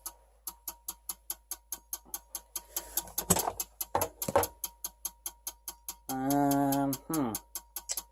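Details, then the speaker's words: Dell Optiplex 3020 with a substituted 450W HP power supply and an orange light: steady sharp relay-like clicking at about three per second continues after power is shut off; cause unknown, supply suspected. "let's shut it off now it's still going from the power is shut off"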